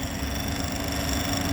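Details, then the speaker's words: CO2 refrigeration unit after filter-drier cartridge replacement, final stage of two-step evacuation: vacuum pump holds one steady drone with no pitch or load change after the valve is closed, indicating deep, tight vacuum. "le bruit de la pompe à vide restera toujours le même qui reste toujours le même donc c'est bon"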